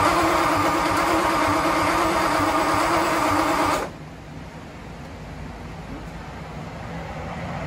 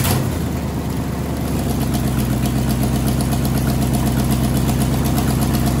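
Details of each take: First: Ford Y-block first start after revival, distributor wired assuming clockwise rotation though Y-block turns counterclockwise, so plug wires out of firing order: loud ragged cranking, backfire, then quieter uneven stumbling run; misfire from crossed plug wires. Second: Ford Y-block V8, garage rebuild with a rehone, just started after fixing plug wiring and TDC errors; catches right away and settles into a steady even idle, firing smooth and regular with no misses, knocks or ticks.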